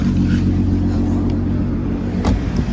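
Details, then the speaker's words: MK5 VW Golf R32 Turbo after resealing the exhaust manifold to head joint with turbo and downpipe refitted, first start: steady, even idle with a deep exhaust note from the rear, no front leak, knocks or rattles. "Well, that sounds better. I'm going to hear the exhaust coming from the back,"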